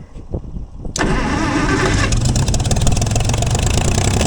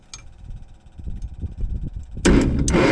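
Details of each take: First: Gleaner combine gasoline engine just after its first start following a carb rebuild, starter rebuild and two straightened push rods. It cranks, catches and settles into a steady low idle with a slightly uneven beat. Runs better after blowing debris, suspected a mouse nest, out the exhaust. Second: Gleaner combine gasoline engine with a rebuilt carb and starter, cranking with the choke held shut. Rapid, uneven starter cranking that never catches. No spark found; owner suspected the coil, but a simple coil test then produced a spark.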